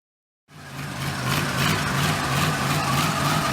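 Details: V8-swapped 1972 Mazda B1600 after transmission reinstall with new flex plate, everything torqued (old one thought loose): V8 fires and settles into an even idle with a low regular pulse and no knock; healthy.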